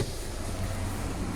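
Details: Car showing fault code P0303 with the check-engine light on: low, slightly uneven idle with a faint stumble, engine shaking; cylinder 3 misfire.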